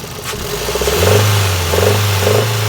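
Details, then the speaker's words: Toyota 2NZ-FE engine with chain mechanism reportedly fine and a new original valve fitted and screen cleaned: deep steady rumble swelling with revs, appearing at high rpm and uphill under load, sometimes more often, sometimes less; cause unknown. "и этот звук он как на высоких оборотах появляется такой урок а вот так же появляется когда идешь в горочку под нагрузкой двигатель тоже издает такой звук"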